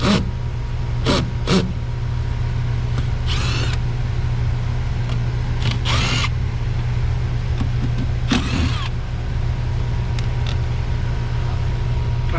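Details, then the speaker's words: Home AC air handler running: steady low blower roar with strained breathy rush, unit struggling for air on the return side; high static from restricted return airflow, dirty clogged filter. "yeah you hear that let's listen to that that thing is struggling to find some air on the return side"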